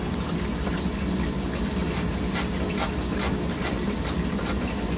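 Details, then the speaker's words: Formula 40 boat with twin Volvo IPS pods, domestic freshwater pump filling the sink: steady rush of water with an even low hum underneath, no surging or knocking; freshwater pump running normally. "we've got the domestic water supply pumping you might hear the water pump"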